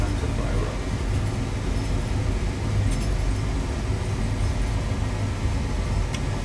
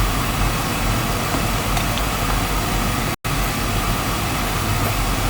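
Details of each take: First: Oil burner in a basement, down about two days, burnt control found, breaker had tripped: motor hums steadily then flame whooshes and settles into an even roar; burner firing normally. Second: Oil burner after running out of oil, new control with 45-second lockout to aid bleeding: steady low roar with a brief dropout partway through; air in the oil supply line making the flame unstable.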